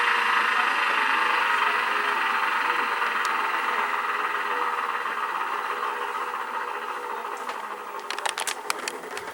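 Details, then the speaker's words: Used factory-refurbished Sears washing machine on spin cycle, suspected earlier electrical short in washer: loud, airy roar with no low thump held steady through spin, like a jet taking off; spin drive fault suspected, not confirmed. "never heard of a washing machine that does that but what I don't understand though is it's that powerful on the spin cycle"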